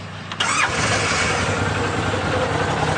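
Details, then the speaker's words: Stock 2014 Arctic Cat Wildcat 1000 EPS, fuel injected, 20.9 hours and 88 miles: a quick crank catches within half a second and settles into a steady, even idle with no stumbling and no smoke. Healthy start. "Of course, these are fuel injected. Runs good, no smoking."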